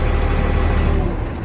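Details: 2004 Sterling truck with a Mercedes MB 900 diesel cranking in neutral with the clutch switch pinned, after a no-crank was fixed by running a ground wire to a good ground; deep, strong, even cranking.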